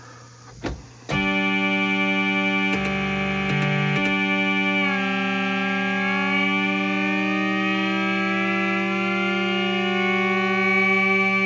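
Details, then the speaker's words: Siel DK600 synthesizer playing chords with one voice, note two, barely audible among the others; the voice is there but very quiet, suggesting the oscillator chips work; cause suspected, not confirmed. "You can hear it really quiet. I don't know if you can hear that. It's there. It's just really quiet. So, that's good. That means the chips are working."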